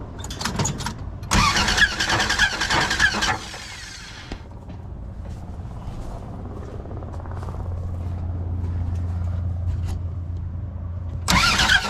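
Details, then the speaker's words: Plymouth Duster engine, still in the car: after a rough start, low, uneven idle with a clattery knock underneath; badly worn internals, cause unknown. "so imagine that sound when it's running it's pretty awful"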